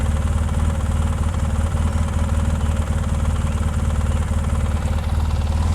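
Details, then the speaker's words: 2004 Polaris Sportsman 600 Twin ATV, long parked: low, steady thrum at idle with even beat, no knocks, misses or squeals; idling smoothly. "I think it sounds nice and smooth sounds good yep"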